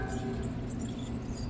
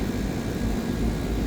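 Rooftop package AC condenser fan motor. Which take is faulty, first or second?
first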